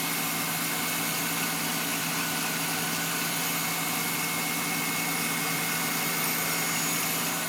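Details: Faint thin whistle over the engine hum at fast warm-up idle, heard through the closed hood but not with it open; it disappears once warm-up revs drop; source unknown.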